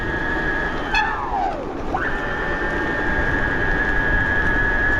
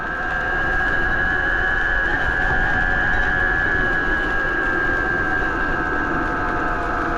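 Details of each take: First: 72V BBS02 mid-drive on Phaserunner after rotor magnets apparently sorted, set to sensor start/sensorless run, reaching 30 in first gear: steady high whine dips and climbs through a gear change, smooth with no grinding; running normally. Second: 72V BBS02 mid-drive on Phaserunner after JB Weld rotor repair, climbing a big hill under load: loud whirring drone with sharp high whine, much louder than a BBSHD; owner unsure of cause, suspects rubbing or bad bearing.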